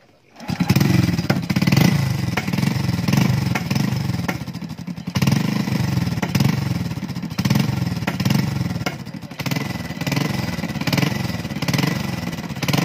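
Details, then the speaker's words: Motorcycle after repair of a crushed timing chain tensioner and jumped timing, oil now reaching the head: steady, smooth idle with no ticking or chain rattle on top; engine quiet and healthy. "Yan. Tahimik na yung makina. Goods na."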